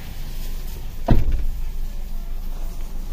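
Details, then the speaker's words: Suzuki Ertiga at idle, heard from inside the cabin, after a tune-up and combustion-chamber carbon cleaning at a routine 10,000 km service: only a faint steady low hum and one brief clunk, very little vibration; a smooth, very quiet idle. "senyap seperti mobil tidak menyala Hai hey hey Hai getarannya sangat minim sekali nyaman untuk mobil keluarga"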